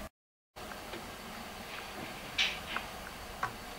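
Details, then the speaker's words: Programmable timer socket relay with a load plugged in: sharp, irregular clicks and buzzing as the relay drops out instead of staying latched; owner suspects a fried coil that can no longer hold the contact. "As you can hear, it's not holding it anymore. So basically, I think the coil itself is fried and it cannot hold the contact anymore. When it's holding it for a while, it's buzzing, and when it's not, it's actually going to off mode by itself."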